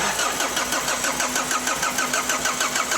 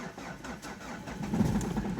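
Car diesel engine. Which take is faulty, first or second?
first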